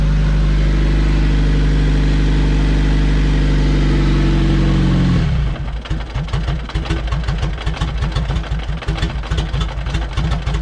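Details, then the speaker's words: Turbo LSVTEC Honda CRX, check engine lights on: steady running note sags into slow uneven chuffs as the engine dies; owner thinks the tank has no gas. "obviously we got a couple check engine lights right and it just died no worries turn it on again i don't think this car has gas though"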